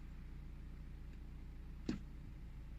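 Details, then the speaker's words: 2015 BMW 420d F36 Gran Coupe diesel idling just after a fuel filter replacement and bleeding; low, even rumble with a steady beat, running normally. "Seems to be running alright."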